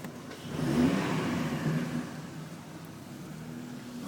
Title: 2005 Chevrolet Trailblazer GPL misfire in cylinder 3